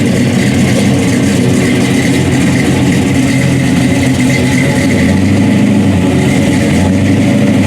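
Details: General Lee tribute with 426 HEMI V8 and 871 blower, MSD ignition, 5-speed Tremec, detuned for street (est. 800–900 hp when fully turned up): deep loud even rumble with slight swells under light throttle, no knocks or rattles; runs healthy.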